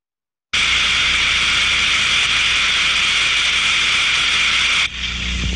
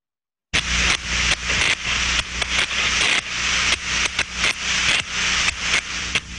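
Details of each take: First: Ultrasonic inspection of a thermodynamic disc steam trap: loud, even rushing hiss for about four seconds, then an abrupt drop as the disc snaps shut; a clear up-and-down work cycle, normal trap cycling. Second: Thermodynamic disc steam trap heard through an ultrasonic probe; a steady hiss with rapid uneven clicks as the worn disc bounces without closing fully. Partial blow-through, the trap passes steam inefficiently.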